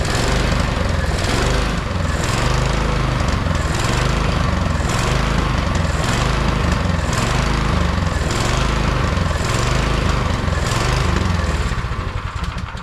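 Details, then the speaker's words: MTD Yard Machine 22-inch snowblower, 179 cc electric-start engine, neglected, ran only on choke: speed rises and falls about once a second, lean surging from clogged carburettor main jet; fix is drilling out the jet. "Okay, looks like this just turned into a how to fix your surging snowblower video. So we'll fix that. It's a pretty easy fix. You just drill out the jets, and we can get rid of that problem."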